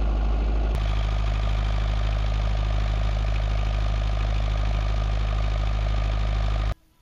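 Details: Perkins naturally aspirated diesel 20 kVA bi-fuel (diesel/vegetable oil) generator with Leroy Somer alternator, run while the regulation card is adjusted to raise output to about 239 V per phase. Steady, even smooth hum with no knocks or misses, then it stops: normal running.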